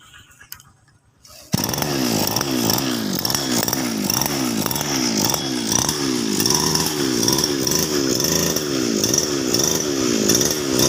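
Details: Small two-stroke grass trimmer that would not start, now catching after the fuel tap was opened, buzzing and revving in steady pulses, running cleanly with no misfire or stalling.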